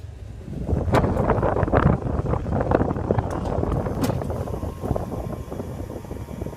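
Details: Wolf downdraft vent lift travelling gives uneven dull thumps over a low motor rumble, caused by a scratched, damaged roller wheel.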